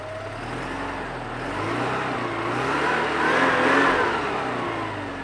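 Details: Porsche 944 engine first started after fitting a new timing belt and new lifters: note rises and falls smoothly with throttle, no ticking or knocking from the valve train; healthy, even running.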